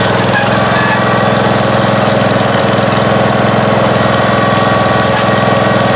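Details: 1971 John Deere 140H3, Kohler K321 single-cylinder, after carburetor rebuild and new float fixed fuel pouring from carb: steady, even thump at unchanging speed, no misses or surging; normal running.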